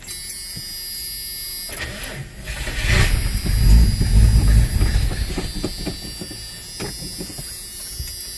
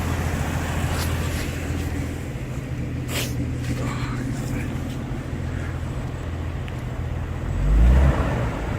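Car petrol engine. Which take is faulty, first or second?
first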